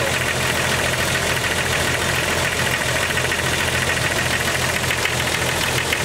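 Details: 1998 Jeep XJ at cold idle: a steady, sharp tick about three per second, loudest on one cylinder. The owner suspects a lifter and says the quieter ticks fade when warm but the loudest clack stays at operating temperature.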